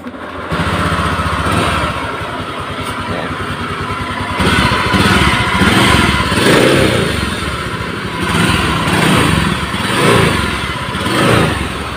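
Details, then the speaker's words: Honda Beat FI scooter with coarse, gritty rattle swelling with each throttle blip, like a dry bearing; mechanic unsure which bearing (camshaft or pulley side), checking one by one. "jadi suaranya seperti bearing kering gitu tapi bearing bagian mana ini kan bearingnya banyak kita coba cek satu persatu"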